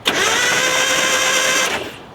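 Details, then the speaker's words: 1986 Nissan 720 ST pickup, sat over 10 years, starter believed stuck and freed by towing in fifth gear, spark plugs out: short, harsh, high-pitched whirring crank under two seconds that dies away; owner suspects a bad starter. "this starter I think was stuck I towed it in uh fifth gear Josh towed it with the K cabota Clock Works well does that sound as bad on camera as it sounded that starter I don't know"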